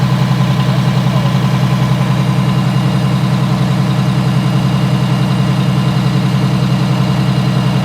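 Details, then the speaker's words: Allison V730 transmission motorhome diesel held at steady high speed, heard outside at the engine: thin constant whine over the drone from the power steering pump. "This is the power steering right here. You want to listen to that guy."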